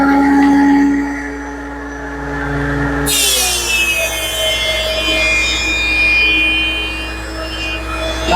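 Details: DeWalt 13-inch planer after installing a Grizzly spiral cutterhead with 30 four-sided inserts, planing walnut: motor hum drops as the board feeds in, then a smooth even shearing hiss with no chatter or knocking; cutting cleanly.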